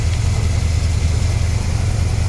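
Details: Carbureted Corvette V8, about 59,000 miles, warm after restart, idling with an uneven stumbling pulse; infrared exhaust-port readings showed number eight cylinder at about 194–210° versus low 400s elsewhere, not firing.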